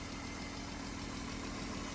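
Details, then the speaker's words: 1995 BMW M3 (E36), very cold start after sitting over a year: fast light chatter over even six-cylinder idle hum; owner suspects lifter tick, exhaust leak, or both; no misfire. "Almost sounds more like an exhaust leak, actually. Maybe a combination of both, but I did check the oil, I think."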